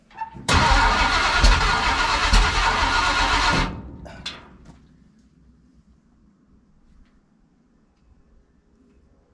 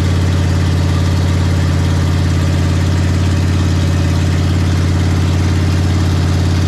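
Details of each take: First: Ford big-block 460 V8 in a 1956 F-100, first start on open headers with no mufflers: catches and barks loudly for about three seconds, then fades and dies, starved of fuel because the mechanical fuel pump is no good and needs replacing. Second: Big block Ford 460 V8 in a 1956 F-100 on open headers with no mufflers, during cam break-in; loud, steady, deep rumble at a constant fast idle, even, no knocks or misses; normal running.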